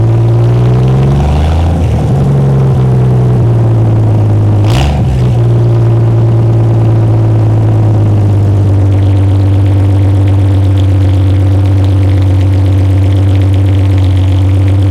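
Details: Freshly rebuilt GMC 302 inline-six, restarted with a water hose feeding coolant to prevent overheating: settles from a rev into a smooth, even low idle with a steady rumble and no knocks or ticks. Normal idle.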